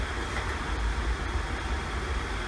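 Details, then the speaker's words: Wood burner reclaimer heating a garage on a sub-freezing day: a steady, deep rumble with a hiss over it at high burn; the owner is worried by the rumbling. "you hear that she's rumbling she's [Music] angry oh wow there is some serious fire PL in this thing kind of worried about my when it's rumbling like that"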